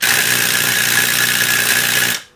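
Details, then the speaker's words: NuTone Model 478 apartment intercom, control amplifier on the bench, door release switch slid to Door One: harsh steady electric buzz with a rattling edge for about two seconds, then cuts off; door strike energizing properly. "you hear the door strike rattle we'll talk about rattling door strikes at the end"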